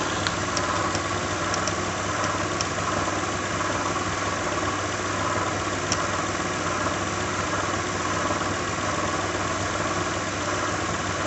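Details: 2006 Lincoln Town Car, just started cold: steady idle, faint whir, loose irregular rattle and odd knock at the front; owner names a bad harmonic balancer, earlier coil pack, plug, pulley, alternator, belt and cam sensor changes didn't help.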